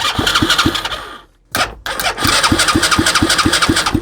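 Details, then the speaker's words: Used Chinese 125cc engine with rewired harness, kill switch and old CDI: starter cranks steadily at about three beats a second in two bursts, never catching; no spark at all. "No spark, none at all. Let's try this again."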